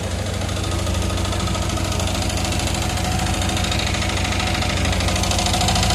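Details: Yamaha R15 motorcycle at idle, still ticking after an engine rebuild: fast, fairly regular light ticking, about three per second, over the engine hum; owner asks where it comes from; engine ticking.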